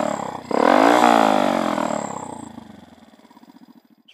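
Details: Dax 125 Spigaou with new stock-style stainless exhaust and new intake manifold: sharp rev to a loud raspy bark, falling back to a slow single-cylinder putter; louder than the old pipe but bearable, runs fine, main jet to lower, idle to raise.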